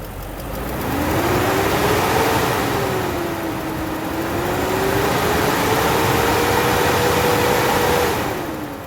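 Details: BMW M60/M62 V8, not started in over a year, cold start: loud steady roar rising and falling with engine speed; faulty viscous fan clutch stuck engaged, replaced.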